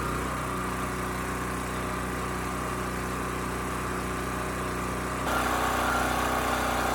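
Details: Champion 40026 generator (3000 running watts, 120 V) after carburetor cleaning (rusted tank): even small-engine drone firms up slightly as half load comes on, holding about 60 Hz without hunting; running smoothly.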